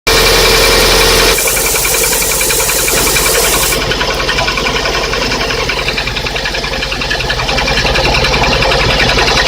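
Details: Lada 21126 engine, cold, STK pistons, only 15,000 km: sharp, fast, regular knock over the idle. A stethoscope places it in cylinder 1, knocking at top dead centre on piston reversal; piston slap from sagged pistons.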